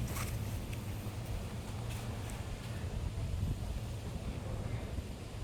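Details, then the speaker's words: Panasonic washing machine with error U12, door/drum safety switch bypassed as a test before spin: steady low hum with no knocking or rattle as it drains the water first, before the drum spins. "Okey, tunggu sekejap. Dia tengah buang air dulu."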